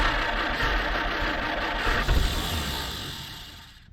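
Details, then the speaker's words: 1946 Jeep Willys CJ-2A after years sitting, with gas poured in: engine turns over, catches briefly with an uneven chug, then fades and stalls; owner says it keeps flooding and the accelerator pump won't actuate properly. "all righty so we've been playing with the Jeep for a minute and well I can't get it it keeps on flooding"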